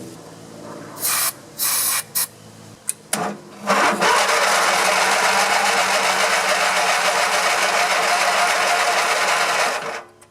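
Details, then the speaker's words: Grasshopper zero-turn mower, 16 hp Vanguard V-twin, unused a long time, on temporary battery jumped to the starter, seat switch disconnected: sluggish uneven churn about four beats a second, never catches; weak slow cranking, no spark found afterward. "I just want to see if it'll turn over first. I got the brake on. Turns over a little"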